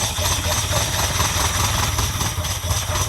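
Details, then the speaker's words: 1979 Ferrari 308 V8, first start, held up on full choke: uneven, lumpy idle with wavering beat, won't take throttle; carbs feel dead, suspected running on only two carbs with nothing from the back carbs, while the front ones spit fuel. "It won't take any gas right now. Might be. This carburetor feels pretty dead. These are dead."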